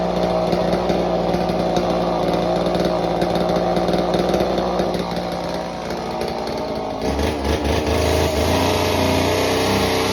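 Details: Homelite Super Mini chainsaw that previously wouldn't run, rev or idle, after repair with an adjustment turned about a turn and a half: a steady high buzz bogs slightly into the cut and recovers cleanly. It runs strong, cutting a big log like butter.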